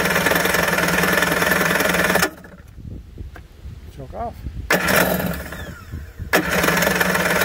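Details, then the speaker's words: 1991 Kawasaki 550SX two-stroke jet ski, first start after six years stored, run with choke then half choke, no cooling water: lively buzz cuts out briefly, refires and runs cleanly; starts and runs well. "a little bit of winterizing fluid through the lines and six years later starts up like a charm"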